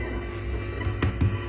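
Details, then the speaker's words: 2013 Tone King Falcon guitar amp on the lead, higher-gain setting, attenuator off: steady mains hum swelling into buzz when the input jack, knobs or cables are touched. The ground hum is blamed on ungrounded control pot casings. "is the sensitive one, touching the knobs. I'm using the lead setting now, is the one has more gain. Cables are really sensitive."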